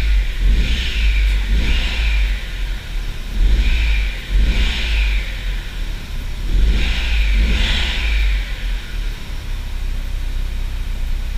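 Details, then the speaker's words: Audi TT MK1 turbo after ignition coil replacement, revving: clean even blips with a rounder turbo whistle, no stutter climbing revs unlike before; faulty coil identified as cause, coil wiring harness still damaged. "tu entends le turbo plus rond ouais plus propre et là il y a pas de sacade quand je monte dans les tour avant elle saccadait tu sais elle avait du mal et là vraiment c'est plus linéaire"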